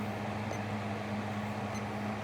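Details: Small Fasco fan motor after rewiring and reassembly, on high speed drawing slightly above the 0.85 A spec: steady even hum with soft airflow rush, no ticks or rubbing; normal running on high.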